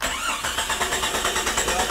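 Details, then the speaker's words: 1996 Jeep 4.0L, died during A/C service, no spark: steady even quick starter cranking but engine never catches; test light flickers on coil negative, ASD power present, ignition coil diagnosed bad; fuel pump and fuel pressure ruled out. "there is it's flickering yeah seriously yeah then that coil is bad"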